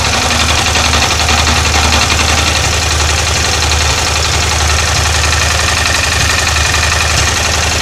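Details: Yamaha TDM 850 at idle: fast, even tapping of about four knocks a second over the engine note; lessens slightly with clutch pulled, disappears in gear with clutch engaged; owner suspects the clutch; knocking at idle.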